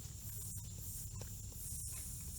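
Faint, steady high-pitched hiss holding constant under low background rumble; air escaping from a puncture in the tire.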